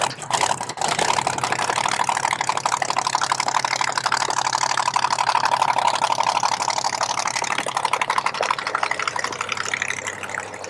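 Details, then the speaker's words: 1970 Chevy Nova SS funny car, 540 big-block with twin turbos: lumpy, uneven idle with a stumbling beat about three times a second; misfire suspected in the front cylinder, number 2, valve cover to be pulled. "Did you figure out what was going on, Riley? I believe that front cylinder over there."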